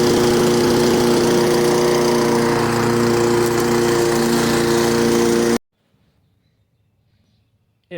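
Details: Toro 22" Recycler self-propelled mower model 20377, Kohler gas engine, used since 2020, after drive belt replacement, new oil, spark plug and air filter: runs at steady, even speed several seconds, then shuts off; healthy running.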